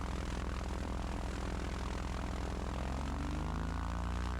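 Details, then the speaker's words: Twin-engine plane taxiing slowly after the right engine failed on landing, just out of the shop after 7 weeks: steady, even propeller drone from only the left engine, right silent; cause unknown, failure not reproduced in earlier testing. "Just a heads up, I'm going to have to taxi super slow. I lost my right engine on landing."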